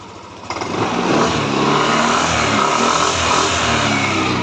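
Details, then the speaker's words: Yamaha NMAX V3 155 scooter, 9,500 km, about 6 months old, after burnt stator (error 12) repair, covers refitted, traction control off: catches and revs cleanly, steady buzzy note without misses or stumbles; runs right. "So nabuo ko na yung cover. Maandar na yan."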